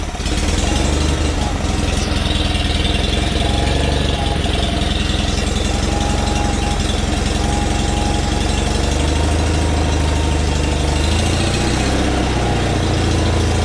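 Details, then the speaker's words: Onan engine newly installed in a John Deere tractor, warm, throttle not yet adjusted, air cleaner loosely placed: steady even low chugging with no misses or knocks; idles a little slow. "we might as well hear it run it's idle a little slow right now"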